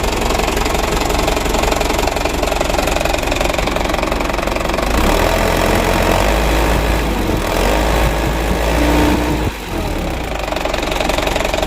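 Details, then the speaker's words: Used Mitsubishi Canter diesel truck checked after purchase, at idle: heavy coarse knocking about three beats a second from the left side; owner suspects timing gears or injection pump camshaft bearing, cause not confirmed. "suara mesinnya itu lumayan kasar sumber suaranya itu dari sebelah kiri ya Menurut saya dari gigi timernya itu yang pertama yang kedua bearing dari noken as bospomnya"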